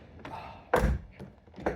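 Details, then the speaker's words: C5 Corvette (1997–2013) driver's side lower door hinge after replacement of the squeaking, groaning spring-and-roller hinge: door swings and shuts with solid thuds, no creak or groan; quiet door hinge. "no more of that noise. It's like brand new. How refreshing."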